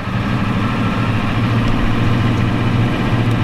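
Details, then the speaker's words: 1993 Ford F-250 7.3L IDI diesel: heavy deep idle with uneven lumpy beat, smoking; injection pump checked and confirmed out of time, not yet adjusted. "she's going out no brakes there you go that's definitely out of time"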